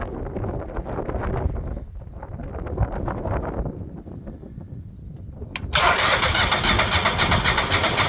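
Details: Generac generator: several seconds of fast, rhythmic cranking before the engine finally catches and roars up; hard starting.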